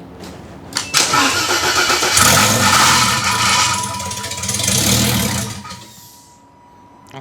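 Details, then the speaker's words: Project car started on jumper pack after new fuel and oil lines: catches and revs briefly with loose metallic rattle, then dies; owner says flex plate making noise, smells WD40. "that's the flex plate making noise uh I can smell WD40"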